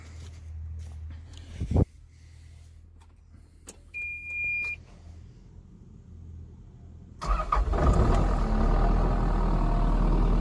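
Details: Kubota KX080-3 excavator diesel, clean and dry with no leaks, fuel and oil filters just over 200 hours: a few quiet beeps, then it catches at once and settles into a steady, even low rumble. Engine sounds healthy.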